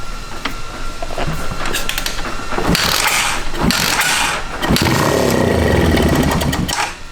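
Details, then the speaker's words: Honda Fat Cat dirt bike, single cylinder, sitting 15 years, carburetor missing: uneven popping bursts as it catches on starting fluid and runs briefly; the long-stored engine fires. "Dude, we're in good shape. It's a Honda. Yeah. I don't know why I was so worried about this thing firing up."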